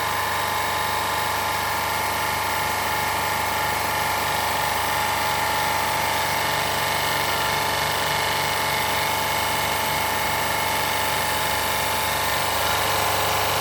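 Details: Autopramie AP-JC9000 industrial pressure washer with green spray nozzle, power raised from its lowest setting, recorded without an external mic. Constant, even motor-pump drone with a steady whine, no surging or knocking: running normally.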